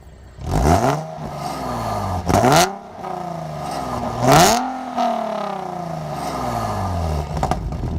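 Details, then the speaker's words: Nissan 370Z V6 with stock headers, Burke high-flow cats, AAM Competition S-line H-pipe and mid-pipe, and stock mufflers, before a Motordyne header install. Revved in short blips, it gives a raspy metallic exhaust rattle flaring at each rev. "e there's a really crappy rattle noise, which I think you'll hear when she starts up, but I hear it all the time, and it's super obnoxious to me."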